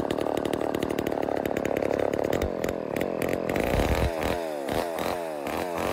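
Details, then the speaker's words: Vintage Homelite Super XL Automatic chainsaw two-stroke, before repair: idle keeps hunting, revs sagging and climbing instead of settling; owner suspects reed issue and air leak, later finding a reed with a piece missing and another gapped. "ave had it running and idling and i have a feeling it's got a read issue um and i also have a feeling it might have an air leak"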